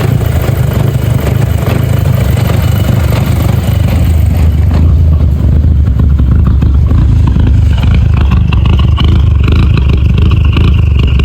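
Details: VW Golf GTI MK5 idling: rough, uneven idle with irregular low thump, felt like a misfire after smoke came from the bonnet; owner suspects misfire, diagnostics later show a leaking air intake system.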